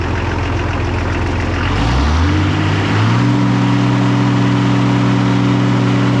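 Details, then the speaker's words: Oliver 1800C diesel tractor after injection pump repair, running about half an hour to purge air: revs smoothly from idle then holds a steady, even note with no stumbling or surging; runs clean. "Much better than before. Now it's been running for about a half hour. I should hope that purged all the air out."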